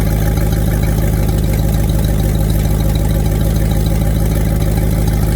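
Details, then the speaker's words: Fox body Ford Mustang V8 with eBay twin turbo kit, after new injectors installed: steady deep idle, even beat, no misses; misfired badly at first start, now firing on all 8 after revving. Normal idle. "I've revved it up a few times, and it seems to be running on all 8 right now."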